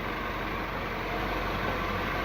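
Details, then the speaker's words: Peugeot 3008 THP petrol engine, parked two years, after repair of out-of-time timing (code P0012) and deep tappet knock: smooth steady idle, even hum, no clatter or ticking; normal idle. "o carrinho bem Sereno som de thp mesmo não são de dizer"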